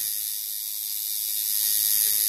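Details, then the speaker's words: Coil tattoo machine after adjusting contact screw: steady, even high-pitched buzz with no stutter; sounds much better though possibly running slightly fast, tunable by lowering voltage; normal running. "there you can hear that some of it sounded much better now obviously the moment the machine gain might be running a little bit too fast"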